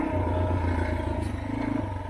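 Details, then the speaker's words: Yamaha TTR230 on trail after clutch adjustment and oil change to remove metal shavings: steady single-cylinder thrum with light gear whir, no grinding heard; owner hopes transmission problem is fixed. "so here I am at tula and I am loving the sound of this engine now I don't hear any grinding I can hear the gears"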